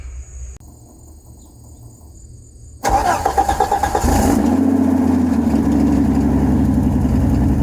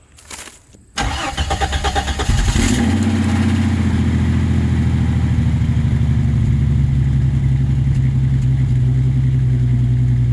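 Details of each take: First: 1989 Jeep Cherokee XJ, 4.6L stroker I6, AW4, before muffler replacement, bottom of old muffler blown out; quiet, then catches into a loud, raspy, uneven exhaust rumble at idle with a rev blip; blown muffler. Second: 1989 Jeep Cherokee XJ, 4.6L stroker I6, after installing a Flowmaster 50 Series Delta Flow chambered muffler: cranks, catches after about two seconds, settles into steady even idle with deep exhaust rumble; healthy running, mild from inside, louder outside.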